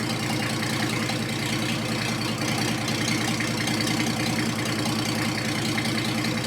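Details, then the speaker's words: Diesel in a 1954 Ford F600 on a 1995 Toyota Coaster bus chassis, with no exhaust fitted, just started: a loud, raw idle with an even thumping beat and open-pipe bark, running steadily. "And it works. It's loud because it's got no exhaust on it, but not actually as loud as I thought it would be."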